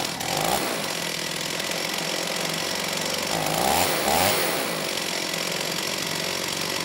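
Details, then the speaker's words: STIHL 028 AV Super chainsaw, amateur non-OEM rebuild after straight-gas burnup; at high idle, choke off, buzz surges up and sags twice within a second, weak response off idle, slightly lean at high speed; crankcase air leak. "I'd say it's running different but not necessarily better you know this time it's still having a bit of issue coming off a idle you know the engine doesn't really have a good response"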